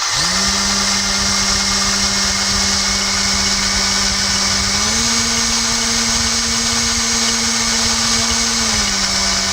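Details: BL 2.4GHz RC helicopter 9004G, microphone right next to the tail rotor: steady motor whine steps up in pitch when the speed button is pressed, then drops back when pressed again; tail rotor speed toggle working normally.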